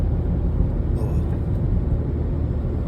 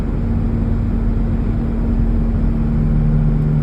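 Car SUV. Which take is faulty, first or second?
second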